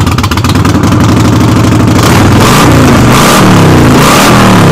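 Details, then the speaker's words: Harley-Davidson V-twin started in neutral with the rear wheel jacked up, revving hard with a loud metallic clatter on the lumpy beat, rattling like a freight train; rattle source not yet pinned down. "well this thing kind of rattles like a freight train when it's running so you're gonna have to excuse that noise"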